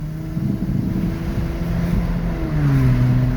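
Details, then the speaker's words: Kia at 200,000, on a test drive after its plugged air filter was fixed, pulls away under load with a smooth climbing note and no stumble; acceleration is healthy. "The car is go. The car is go, man."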